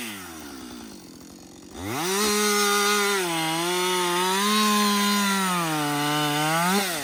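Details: Husqvarna 562XP 60cc chainsaw, after a dealer reflash of its software for dying when hot and stumbling, bucking windfall about two-thirds of a tank in: snaps up to a steady high howl, holds through the cut, dipping slightly; normal under load.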